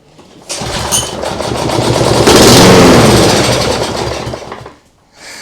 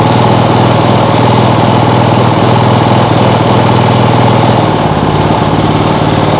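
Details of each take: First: Lawnmower engine with automatic choke on an outboard rig, temporary fuel supply: catches, revs into a rapid even putter about four seconds, then dies as fuel runs out; sounds just like a lawnmower, runs normally. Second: Small single-cylinder lawnmower engine on an outboard rig, flywheel possibly too small: loud chatter runs unevenly, then sags and stumbles when throttled too fast, shaking a lot; owner fears a bent crank, cause unknown.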